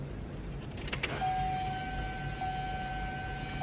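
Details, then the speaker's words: 2017 Chevy Colorado 2.8L Duramax diesel, after fuel filter replacement, ignition cycled: click, then steady high electric hum at constant pitch as the fuel pump primes the fuel system for about 30 seconds; normal. "Hear the fuel pump running right now. It'll run for about 30 seconds and you'll turn the ignition switch off and then turn it back on."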